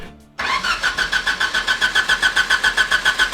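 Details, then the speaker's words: Fake F1 car: steady cranking about three and a half pulses a second, never catches; ECU wasn't getting power, the wire thought to be ignition was the old RPM wire, and the fuel pump had no ground. "I don't think that the ECU was getting power. Um, what I thought was the ignition was actually the old RPM wire."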